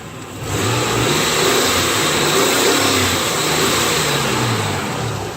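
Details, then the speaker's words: Nissan WD21 Pathfinder VG30E V6, after about 30 min of driving with 3/4 bottle of Marvel Mystery Oil added to treat a lifter tick from the passenger-side head: revved a few times, it spins up smoothly with no tick, healthy. "it's nice and healthy I'm gonna call that a success"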